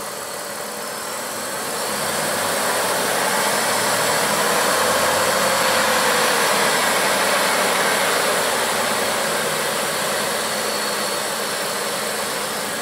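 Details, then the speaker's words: 1995 Oldsmobile 88 3.8L 3800 at first start after a Dorman upper intake manifold replaced a coolant leak, fully warm. Black smoke, no white smoke; the belt is fine. Revs swell smoothly and ease back with no knock, tick or miss; normal revving. "oh okay well at this point hoses are hot heater's hot it's hot the EO belts doing good rev It Up sounds like a 38"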